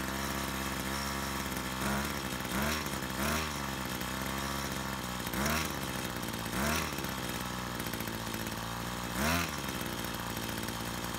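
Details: Brush cutter two-stroke after repair of a fuel leak from a split hose (it had stalled while mowing): even idle buzz rising cleanly in several short throttle blips with no stumble or miss; running normally.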